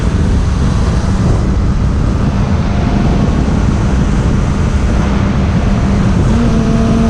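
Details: 2002 Suzuki Bandit 600 (GSF600), stock jetting and exhaust, new plugs, PAIR delete, 87 octane, on a ride: strong, steady engine drone pulling cleanly with rising pitch and no hesitation or misfire over heavy wind rush; running healthy.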